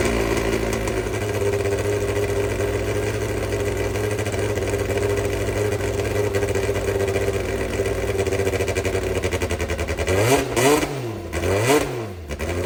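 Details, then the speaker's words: Brabham BT21 historic one-litre F3 engine, first cold fire-up after rebuild with new crank, balanced conrods and new sump: steady even idle, crisp firing beat, clean throttle blips; oil pressure looks good. Normal engine run. "Okay, for a first time fire up, I think that was okay. The oil pressure all looks good."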